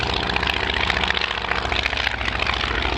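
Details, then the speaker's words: Aircraft with 160 hp Kinner five-cylinder radial flying past: loud uneven popping beat because three exhaust stubs are open while the top two feed a collector ring; normal uneven radial exhaust note. "so you hear three loud bubble bots kinder engine especially when it comes past close quarters you can hear it now"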